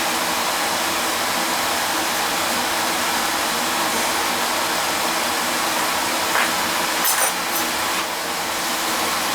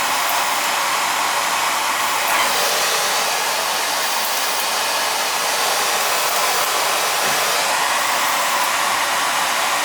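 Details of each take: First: Oil burner (previously tripping out) running as a two-pipe system, heated oil mixing with cold returning oil: steady, even roar of fan and flame with no pulsing, rumbling or cutting out; normal healthy running. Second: Oil burner that keeps tripping out after running briefly: steady roaring hiss of the burner with no pump whine. Oil smell noted. The fuel pump isn't pumping, so it's a bad pump; the motor-to-pump coupling is to be checked and the pump replaced.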